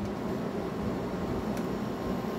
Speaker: This one has a bit of noise when it boots up, but it's really smooth. It doesn't shake or anything.